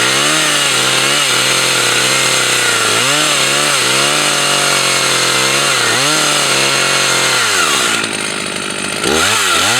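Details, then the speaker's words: Husqvarna 162 SE 61.5 cc professional chainsaw cutting: revs up and bogs into the cut with harsh metallic rasp from the chain; owner finds the bar oil tank empty, dry chain. "I didn't check if there was enough oil on it. I thought it was. It may be empty for oil. It sounds like it's empty for oil."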